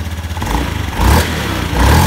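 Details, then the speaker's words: Automatic scooter after CVT service for a growling noise: revs rise and fall cleanly with no grinding or rumble from the drive; the CVT now sounds smooth. "Nah, sudah halus."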